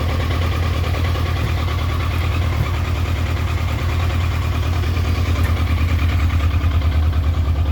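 Deep, lumpy idle with a beat that wanders instead of holding steady, about two pulses a second; this bike is idling rough.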